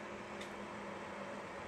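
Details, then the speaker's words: Newly built Ryzen PC during driver installation, constant airy whoosh with faint steady hum and no ticking or rattle; cooling fan spinning fast and too loud, to be slowed in BIOS along with the processor. "when i get back into the bias i'm going to sort this fan out and probably slow it down a fraction and probably slow the processor down a fraction because yeah i can't live with that noise"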